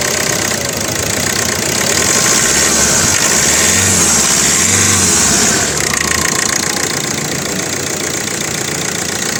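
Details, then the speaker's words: 2013 Hyundai Verna Fluidic diesel, clean engine bay with Amaron battery, idling with hood open: light, even diesel clatter at steady idle, no uneven beats or knocks; healthy normal idle. "Start ಮಾಡಿನೂ ಕೂಡ ತೋರಿಸ್ತಾ ಇದ್ದೀನಿ ನೋಡಿ friends. Engine ರನ್ನಿಂಗಲ್ಲಿದೆ."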